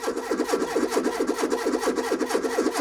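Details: Renault 21 1.7, cranking after a new fuel pump was fitted with the float bowls empty: the starter churns sluggishly at about two turns a second, uneven and dragging, as if the battery is low; battery charge is uncertain and the cause is suspected, not confirmed.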